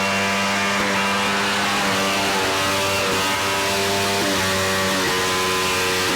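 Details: 1983 Evinrude 50 hp outboard: idles rough and lumpy with an uneven, lopsided beat, as if only one cylinder is firing; cause suspected, not confirmed.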